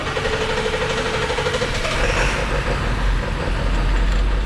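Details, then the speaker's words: 1999 Ford F450 service truck diesel, service engine and battery lights on: choppy, loping idle with beat stumbling every few strokes; misfire on a few cylinders, owner suspects injector fault. "while it's running you can hear is running bad on a few cylinders definitely has a choppy ila sloping"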